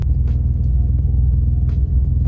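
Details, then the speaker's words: Drift G35 idling after new spark plugs, coil packs and vacuum leak fixes, no check engine light: deep, lumpy idle with beats dropping out, engine shaking badly; bad misfire, owner suspects the tune, ECU or injectors, unconfirmed. "Yeah, that's a bad misfire."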